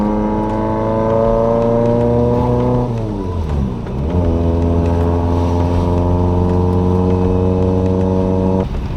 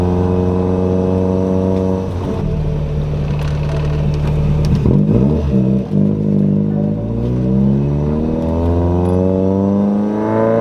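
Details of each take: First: Engine-swapped Corolla, warmed up, with a bad exhaust leak: revs flare and hold a high drone without pulling, clutch slipping hard as soon as it's revved. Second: Toyota Corolla with 4AGE swap after moving the clutch master cylinder adjustable arm all the way back; engine pulls down smoothly as clutch takes up, revs climbing steadily through gears; clutch now engages and releases normally.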